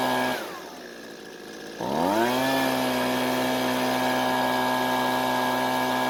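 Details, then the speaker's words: Husqvarna two-stroke leaf blower after turning the carburetor L screw a quarter turn counterclockwise for more fuel: dips, then revs up cleanly and holds a steady high note without dying; fixed. "so it looks like the blower is working a lot better and it turns out the car but didn't need too much adjusting to get it back to where it needed to be"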